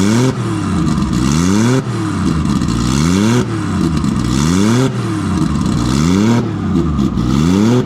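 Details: Nissan RB20 inline-six after fixing no compression in cylinder 5 caused by a faulty lifter holding the intake valve low; smooth even idle with repeated clean rev rises and falls, no miss or stumble; all six cylinders firing.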